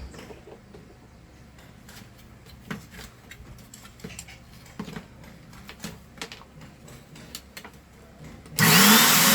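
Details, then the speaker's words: Philco handheld vacuum cleaner, power cord previously repaired: after handling clicks, the motor runs loud, harsh and hissing, brushes sparking heavily; brushes suspected, but the upper motor bearing was found failed. "aqui galera tá centelhando para caramba esse aparelhinho centelhando PR chuchu"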